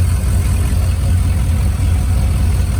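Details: 2001 Silverado 5.3 V8 with turbo kit, after replacing the blown driver's exhaust manifold gasket with a metal one and adding a turbo blanket. Steady, deep, even rumble, no ticking or puffing at the manifold: settles into normal idle, leak fixed.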